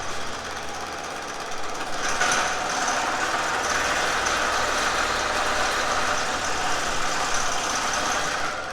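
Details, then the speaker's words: Pullmax metal-shaping machine at about quarter-inch stroke, speed low on its potentiometer. Fast steady hammering about three strokes a second with light squeaks; it gets noisier when turned up: normal running at low speed. "So, this here is roughly uh in the quarter inch stroke. You'll hear some squeaking. That's because my I just have all bolts coming."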